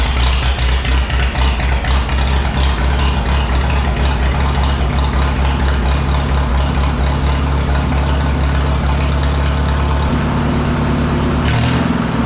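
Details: McCormick W4 tractor after new ignition wires and spark plugs: deep, even low thump at idle, then revs pick up smoothly with no missing or stumbling; normal running.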